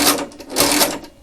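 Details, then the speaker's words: 1921 Monroe Model K mechanical calculator after oiling and reassembly, cranking 159 × 123: bursts of crisp clicking and ratcheting with pauses between turns, no binding or scraping; answer accurate and the machine runs fine. "So so far this machine seems to be running fine. There's no accuracy issues going on here as far as I can gauge."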